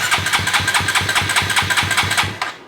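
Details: Koso 170cc big bore kit engine (Competition Werkes GP full exhaust, aRacer RCmini ECU, new Kitaco catch can) on first start attempt with a borrowed featherweight battery: steady cranking at about four compression pulses per second, never catches; fuel pump suspected unprimed.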